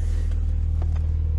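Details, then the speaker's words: BMW Z4 35i (N54-type engine, same as 335i) after Vanos actuator cleaning and oil change, previously rough idle with reduced power: low, even, steady idle with no stumbles; normal idle. "took it for a quick Drive idle is nice too steady and flat"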